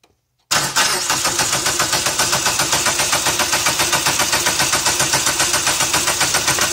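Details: PT Cruiser GT, diesel-like sound after two-hour drive, owner thought lifter tick not rod knock: engine fires, settles into sharp even tick about four per second over idle; cam gear walking on sheared locating pin.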